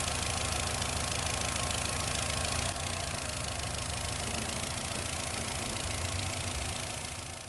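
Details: 2008 Nissan Rogue with check engine light and possible misfire code P0300: uneven, stumbling idle with a loose, irregular rattling patter over the engine hum. Rough idle, worse in low gear; misfire suspected, not confirmed.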